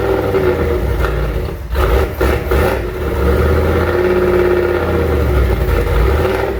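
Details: Junkyard 351W turbo V8 in a 1967 Mustang, first fire-up, exhaust exiting off the fender; loud, fires and revs with lumpy uneven idle and some clatter, rough untuned running, owner says it needs a tune.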